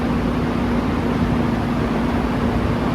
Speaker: And then maybe high here. Nice, strong high.